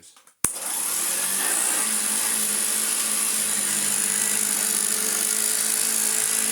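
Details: Hoover Junior 1334A upright vacuum after full refurbishment, previously an awful-sounding motor with wind-down noise: sharp switch-on then a steady, even high motor whine with no wobble or grinding; running like new.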